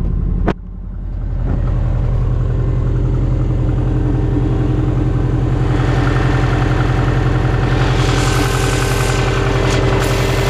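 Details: 2002 US Subaru Impreza WRX, cold engine: flat-four idles with a steady light knock over the rumble, about two to three per second; suspected cold piston slap, not confirmed.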